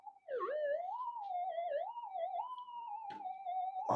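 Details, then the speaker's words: Minelab GP Extreme detector after front-end repair, testing on the bench: continuous tone wobbling up and down in pitch, interference picked up from a nearby electric heater fan; a P channel still needs replacing. "These are confusing. The reason being, I've got an electric heater on over there. It's picking up the fan."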